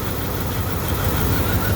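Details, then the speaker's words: 1998 Dodge Durango single-cam V8 idling after timing chain replacement for a P0300 multi-cylinder misfire; freshly started, coolant cap off. The idle is even and low-pitched with a steady pulse and no stumble or chain rattle. "good so she is right on time I'm going to call that a good fix"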